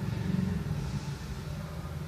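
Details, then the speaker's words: Ford Fiesta 1.0 Zetec Rocam, check engine light on, code P0300 multiple-cylinder misfire: low lumpy idle with uneven pulse stumbling now and then; burnt ignition coil, to be replaced. "código peso 0 300 aí como você pode ver o falha de ignição"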